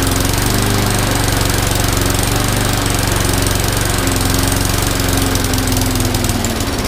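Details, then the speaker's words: MTD mower with Briggs & Stratton Classic engine that had no compression, running after valve seat work: loud, uneven, ragged single-cylinder thumping; rough running, owner suspects a carburetor problem; smoking from an oil-filled crankcase. "good I think they may have a carburetor problem but otherwise I think we are pretty good and of course it's gonna smoke the whole crankcase was full of oil and everything so to be expected"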